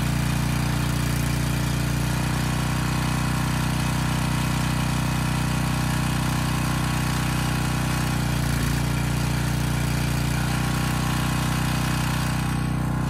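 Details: Briggs & Stratton Storm Responder generator repowered with a 10 HP Briggs engine, old oil, carb unserviced, about 114 V: even constant drone, governor holding smoothly, no knocks or misfires; running normally.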